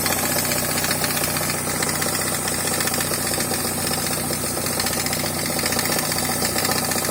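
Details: NA Miata petrol engine idling, mic in engine bay: steady rapid knock from crank front, crank pulley likely misinstalled after timing belt change, woodruff key under 100 miles from shearing.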